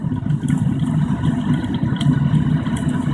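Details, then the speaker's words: Waste-motor-oil burner, second attempt, oil pumped rather than head-pressure fed, propane assist at about 5 psi, still heating up: deep steady roar with light spattering crackles as oil spatters inside, flame holding; normal burner roar. "if you can hear that crackling they're all being spattered in there but we're maintaining the flame everything seems to be"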